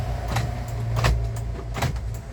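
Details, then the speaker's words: 2010 Isuzu Panther LS Turbo, engine idling: one crisp clunk from the door lock actuators at each lock and unlock. The central locking works normally. "Terus untuk ini central lock kita tes ya. Central locknya itu ya, gerak."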